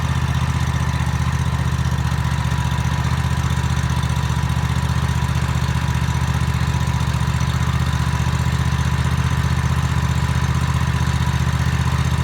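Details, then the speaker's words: Toro TimeCutter MX 4200 zero-turn mower that ran rough, after replacing both ignition coils: a steady, even low drone at idle with no hunting or surging; the new coils appear to have fixed it. "um so it looks like it did the job"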